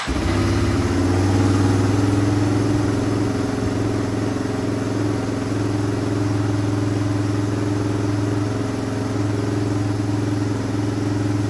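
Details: 1973 Suzuki TS250, first start after work: settles to low idle around three to four beats a second that wavers and surges slightly; unsteady idle, fuel mixture and idle screws suspected.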